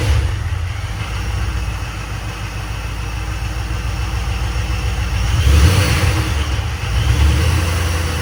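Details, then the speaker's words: 2007 Crown Victoria police drivetrain in a 1966 Ford F100 body, abused: deep V8 idle with an uneven knock that grows louder when revved; unclear whether internal or belt-driven accessory; belt junk, being removed to check. "all right well something is definitely not walk over here so something definitely going south on this thing um it's hard to say exactly what it is"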